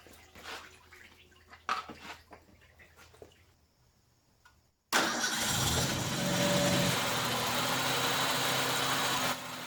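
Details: 1989 Ford Ranger engine swapped into a 1987 Bronco II: after handling clatter catches and settles into smooth even idle, no knocks or stumbles; old oil and coolant burning out of exhaust, no head gasket issue found; normal idle.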